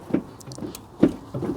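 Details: Smart ForTwo 451 offside rear drum brake, just after replacing the failed auto self-adjuster: soft, separate clicks at each pedal pump, about three in two seconds, as the adjuster ratchets and sets up; normal adjuster operation.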